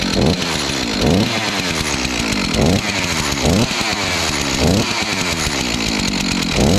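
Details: Stihl MS251C chainsaw after clutch and melted cover replacement, test-run without chain: small two-stroke buzzes steadily with a few throttle blips, runs clean and holds speed without stalling, no knocks or rattles; normal running.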